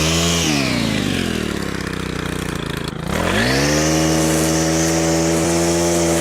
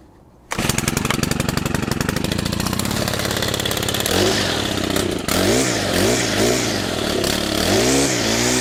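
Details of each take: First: Stihl FS100 4-Mix brushcutter after service, fresh fuel and throttle cable adjustment: engine dips, then climbs cleanly to a high, steady scream and holds wide open throttle without stumbling or dying. Running strong and healthy. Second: Stihl FS100 brushcutter, 4-Mix four-stroke run on oil-fuel mix, started from cold, then at wide open throttle with choke off: revs swoop up and down, spluttering and dying; rough running.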